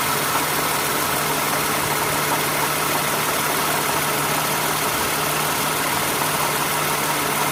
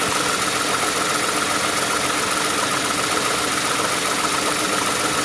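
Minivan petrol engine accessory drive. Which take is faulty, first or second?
second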